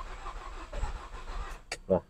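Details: Nissan X-Trail T30, dash indicators normal, battery getting weak from repeated cranking, fuel pump heard running; weak, uneven cranking that nearly fires then dies: crank no-start, cause still unknown.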